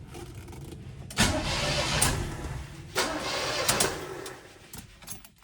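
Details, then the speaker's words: 1979 Camaro Rally Sport, 267 miles, sat 46 years, first crank attempt: two short uneven cranking bursts with loose chuffing, seemingly firing on two cylinders, no binding or grinding; engine not seized, turns over freely. "It almost sounded like it was trying to fire off on just the two cylinders, which is crazy. So, we're good. The engine cranks over just perfectly fine."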